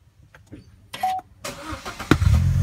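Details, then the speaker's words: Holden Cruze that would not start after a steering column lock service warning, fixed by disconnecting the battery for 10-15 minutes: after some clicks the engine catches first try and settles into a steady low idle; a clean, healthy start. "I took the battery off for about 10 15 minutes went inside for a bit came back out put it all back together and it works fine just started up straight away so that's success"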